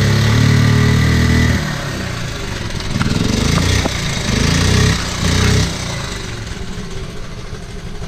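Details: 1979 Honda Z50R with low compression, first kick after switching to on/off for spark: runs lumpy and uneven with wandering, stumbling revs; low compression.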